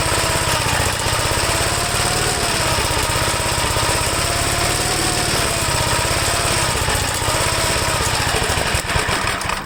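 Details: 1954 Gravely single-cylinder with faulty governor and low oil pressure in the red: fast steady run with a loose tinny rattle over the firing beat, like a bucket of bolts; cause not yet found.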